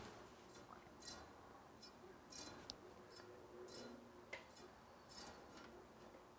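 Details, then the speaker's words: Bicycle wheel being trued after a broken spoke nipple, a zip-tie used as a gauge: faint light ticks about once per turn as the rim still brushes the tie after quarter- and eighth-turn spoke adjustments, moving in less but still rubbing. "so it's not quite moving in as much but still rubbing"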